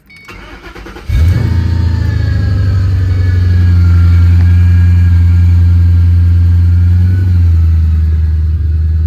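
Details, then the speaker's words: 2006 Mustang GT V8 idling with the door open: a thin, constant supercharger-like whine over the rumble from the failing water pump, which also leaked coolant and gave an overheating warning; power steering pump was wrongly replaced first. "So that's the wine. There's a water pump right here."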